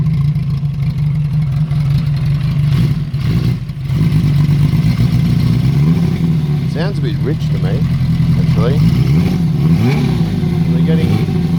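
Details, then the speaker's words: Honda CB350F four under restoration, first run outdoors with carburettors not yet tuned: low, uneven hunting idle that blips and sags with a few revs, and unburned fuel coming out; owner suspects a vacuum leak and says the carbs need work. "unburned fuel coming out and it sounds like there's a vacuum leak too [Music] that's classic vacuum"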